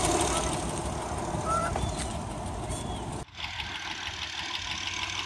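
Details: 2008 Honda Accord Coupe 3.5 V6 running: very loud, fairly quick ticking, about three a second, over hiss, louder on acceleration; cause unknown, owner has read online it may need a valve adjustment.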